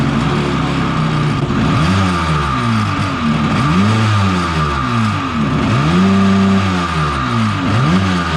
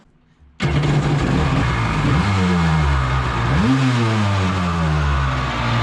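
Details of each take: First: 750 Kawasaki jetski two-stroke engine in an aluminum single-seat mini jet boat, run after a full rebuild kit. Revs blipped up and down repeatedly, each rising and falling cleanly without bogging, clearing out the exhaust. Normal running. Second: 750 Kawasaki jetski-powered aluminum mini jet boat, run on the hose after carb gaskets found leaking: engine bursts to life loud and raspy, revs swooping with booming resonance; exhaust visibly leaking.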